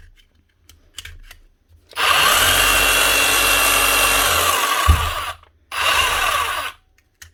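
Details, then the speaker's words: Hitachi DH40MEY rotary hammer after strip, clean and rebuild to fix the chisel lock: steady motor whine with an even hammering rattle, a short stop, then an even restart; runs healthy and locks. "Sounds good, looks good. Does she lock? That's the main thing."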